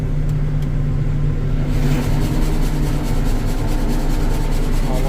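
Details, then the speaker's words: Combine at idle, set up for soft red winter wheat harvest, with the header engaged to test it before shifting rotor speed. A steady low engine drone and a rising whir as the header spins up, running evenly; the header engages normally and sounds good. "looks good. Sounds good. Sweet."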